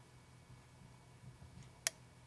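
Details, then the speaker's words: 2004 Honda Accord EX 2.4L, P0443: new EVAP purge solenoid plugged in but unmounted makes a light, crisp click when switched on and off; a good but not foolproof sign it works. "so you can see just makes a little bit of a clicking sound but that's a that's a real good indication that it's working"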